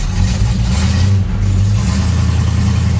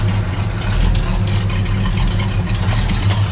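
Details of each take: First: On an original Dodge Dart Swinger 340 just started, a deep V8 rumble has a slightly uneven, loping beat. It is a rough cold idle with the choke still closed, needing the choke to open. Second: Dodge Dart Swinger 340 V8, shortly after cold start: deep, even idle with steady low rumble, no ticking or knocking; sounds healthy.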